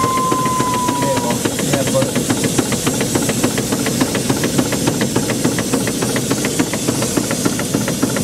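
Steady steam hiss with a soft, regular tick about 105 a minute from the feed pump; the steam car runs healthy and quiet.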